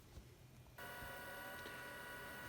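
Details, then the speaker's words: 1990 Cinet 286 (AI-PC-16/AT) at first boot attempt after reassembly from parts: quiet hiss then sudden steady high whine as the hard drive spins up and holds speed; normal spin-up, machine then posts. "machine is trying to boot, but the screen does not look okay, and I can hear the hard drive spinning up."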